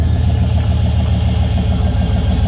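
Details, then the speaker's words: 1995 GMC Vandura 2500 van, 167,000 miles, idling right after start-up with hood open: smooth, deep, evenly pulsing idle, no smoke, no weird noises, rattling or popping; always starts right up, healthy motor. "Motor doesn't make any weird noises, rattling, popping, any of that kind of stuff."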